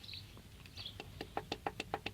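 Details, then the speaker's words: Toyota 1MZ-FE V6 that began knocking on the road; stopped engine, connecting rod rocked by hand through the open pan gives sharp metallic clicks; only this big end moves, others checked tight: worn big end bearing. "Yeah, I've rolled the engine over, checked all the other big ends. This is the only one that moves."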